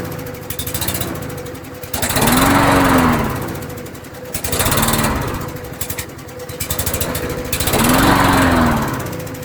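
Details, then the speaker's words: Canadiana Elite 22-inch self-propelled mower: idle swells and fades about every three seconds, surging while barely idling. Owner suspects the idle may simply be set very low; the air filter still needs changing. Engine surging at idle. "Uh but definitely definitely got to work through the curb because you could hear it. It It's surging even though it's barely idling."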